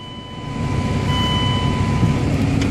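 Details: Truck with a starting problem, now starting after replacing deformed battery cable terminal clamps and cleaning badly corroded cable ends: the engine catches, swells up and settles into a steady, even idle with a faint chime. A good clean start.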